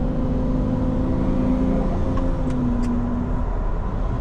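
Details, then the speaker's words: Lamborghini Diablo under load: low droning moan that slightly bends in pitch, fades on slow shifts and returns under load; not accessories, suspected exhaust restriction or leak blowing like a reed, not yet found. "if i shift slowly it goes out of it but then when i get under load again there's that noise and it's not any of the accessories and the wizards checked all this it's a moan out of the exhaust somewhere like it's restricted and blowing through like a reed or you know a leak somewhere i just can't find it"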